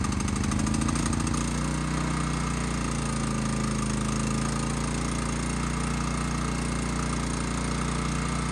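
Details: Lightly used, low-hours Honda EX1000 suitcase generator, made in Japan, started cold with the choke on and fresh fuel after a few pulls. Small single-cylinder engine catches and settles into a smooth, steady drone; normal running.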